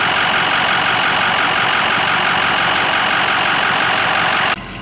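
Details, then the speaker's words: Ford Excursion diesel idling after a Blue Spring fuel pressure regulator kit plus fuel and HFCM filter changes: smooth, even hum, quieter and deeper than the earlier rattly idle; no knock. "the idle it's a lot quieter it's idling really smooth very little vibration and um it's kind of like a deeper tone to the idle it's not quite as rattly if that makes sense"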